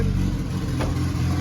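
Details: Turbo B20 engine back running, knock gone after a timing check: steady low engine note with no knocking or rattle, even run with a brief blip; check engine light on, MAP sensor suspected.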